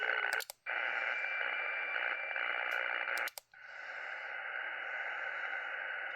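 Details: Radio receiver with steady hiss, sharp irregular dropouts and clicks, on all bands, several radios and antennas, persists with the house breaker off; interference noise of unknown origin, solar storm suspected.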